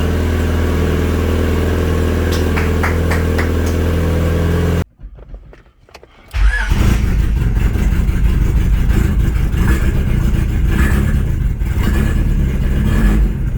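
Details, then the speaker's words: Turbo-swapped 1997 Honda CR-V B20 (low-compression engine) just started after the swap, running rich and burning off old exhaust oil: after a cranking restart it settles into a lumpy low idle with a loose, uneven rattle; source unconfirmed, suspected low-idle-rpm related. "but yeah i think that noise might be at low idle rpms that our do"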